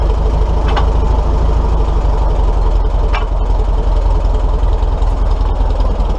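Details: Old tractor engine with 150 psi compression in all cylinders; owner guesses worn valve guides and notes it smells quite a bit: strong, steady low-pitched note with an even beat and no misses or knocks; normal running.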